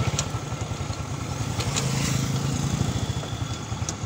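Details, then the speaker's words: Honda XRM110 riding after replacing damaged second gear: steady low putter with no whine or gear rattle, old noise gone; transmission healthy. "yan mga Dias okay na at nawala na yung kanyang ingay yung dating tunog niyo makas sa Pakinggan niyo so ito na okay na itong Ison Ayan okay na yung kanyang makina"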